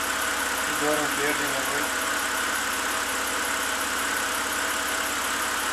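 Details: BMW 328i inline-six idling after replacing the cylinder 6 ignition coil and spark plug, which fixed a P0306 misfire and rough idle: a steady, even hum with no stumbles, firing smoothly on all cylinders.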